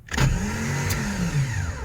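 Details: 1989 Jeep Cherokee XJ Renix I6 after starter solenoid cleaning and reassembly: a short crank whir, then the engine fires almost at once and runs steadily; starter working normally.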